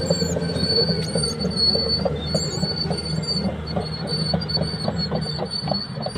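Constant high metallic squeal and screech over the tracks with a rhythmic clatter; worn idler and track rollers, undercarriage needs doing.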